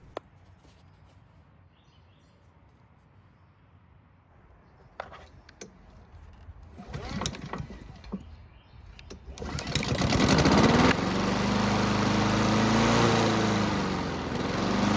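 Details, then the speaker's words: Free Honda mower engine, carb and airbox just refitted, left carb bolt threads not catching; it starts and runs but speed keeps rising and falling in a hunting rhythm, surging and unable to hold steady speed; cause unconfirmed. "And as you just saw and heard, this engine does run, but it's surging where it can't hold a constant speed, but at least it starts and runs."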